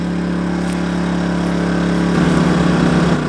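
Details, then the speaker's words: Kings 2kVA generator running a caravan air conditioner set to 16°C, switched to economy mode: steady drone settles to a lower, slightly uneven hum as revs drop further. Normal economy mode running. "I thought I'm just going to put it on economy mode and like it's dropped down revs even further"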